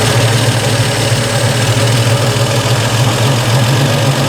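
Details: Triumph TR250 warm on stock Zenith Stromberg carburettors, air valve lifted: steady, smooth idle with slight speed increase then return to normal, no misses; mixture correct, initial setting before a plug read.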